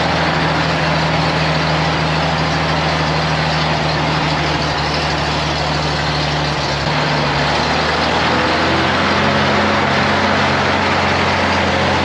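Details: 1956 GMC 630 fire truck, 503 straight-six with carburetor, rescued off a farm, idling after revival: even low throb, no missing, note shifting slightly midway.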